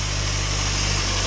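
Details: MG, finished and fine-tuned: smooth, even low idle with a steady beat and no knocks, ticks or misses; a healthy, well-settled engine.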